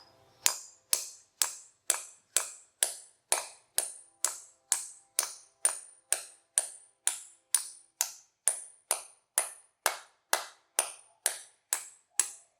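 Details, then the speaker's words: Concrete anchor for a garage floor winch being hammered in: sharp metallic strikes about twice a second, ring turning brighter toward the end; change in tone shows the anchor is fully seated. "That's how you know it's in all the way. Get that change in tone."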